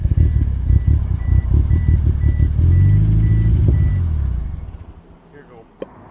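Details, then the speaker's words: $3500 DSM with volume airflow circuit malfunction codes: revs climb with rough pulsing note then suddenly drop to nothing; owner suspects fuel cut from ECU missing a sensor signal, probably wiring related. "And then nothing just dives. So, it's got to be hitting a fuel cut, man."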